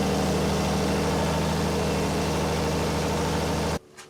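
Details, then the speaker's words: Deuce-and-a-half military truck diesel: steady, even running that cuts off abruptly, kept going only on ether starting fluid. It is starved of fuel. "i had a fuel pump problem [Music] see we got it running on ether and their fluid ah"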